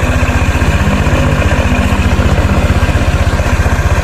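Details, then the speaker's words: 2017 Honda Vario Techno 125 after a year of use: even, steady low putter at idle, no knocks or grinding; engine is smooth and the occasional grok-grok bearing noise is absent here. "ini nggak kedengeran ya suara grok-groknya. Ini mesinnya halus banget sih suaranya"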